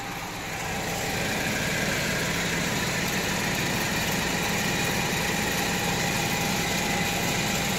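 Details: Chevrolet Malibu jacked up on the right front, traction control off: a steady growl with a faint rhythmic pulse as the raised wheel spins, from a worn right front wheel bearing, possibly after a pothole.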